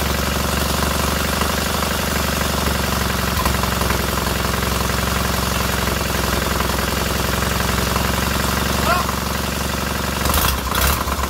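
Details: Freshly rebuilt K750 twin on first start-up, after a minor ignition fault stopped an earlier attempt: even thump at a steady idle, both sides firing regularly with no miss and heating equally; healthy normal idle.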